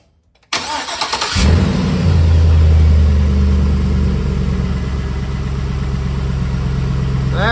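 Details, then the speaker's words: 2006 Chevy Silverado after an engine swap, following replacement of the flexplate with new, properly torqued bolts; short crank, clean catch and steady even idle with no clank at startup; normal start and idle after repair. "the way it's supposed to be. No noise. It didn't clank when I started it."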